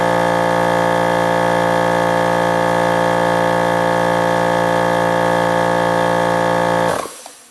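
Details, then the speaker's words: Old shop air compressor (being replaced by new Harbor Freight Central Pneumatic 29-gallon 150psi), heard from outside against the house: loud steady drone with hard even pump beat running flat out then cutting off abruptly; straining near cut-out pressure suspected. "See what I mean? It gets up there and it's really fighting to go any further past it. I'm kind of getting tired of how loud it is too, so it was time for an upgrade."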